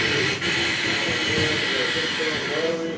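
A harsh, rough whirring with a hissing grind throughout the crank points to a bad starter motor rather than a healthy one.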